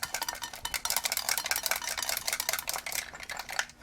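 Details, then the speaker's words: Extron VTG 300R video and audio test generator on arrival, before power-up: handling the case brings irregular clicks and tinkling rattles, a loose internal component; a part had popped off the board. "sounds to me like something's not attached in there so before i power it up i was going to open it and just see see what popped off or what's broken in there"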